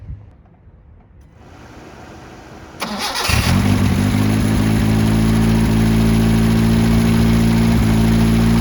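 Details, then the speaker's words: 1977 Honda CVCC with Weber 32/36 replacing stock carburetor, first start in 11 years: brief cranking then a very loud, raspy, blunt idle because the exhaust is cut off and runs as an open straight pipe. "bam sounds good it's a tad bit loud because uh we're just running a straight pipe the eight pipe ends right there and the exhaust is cut off"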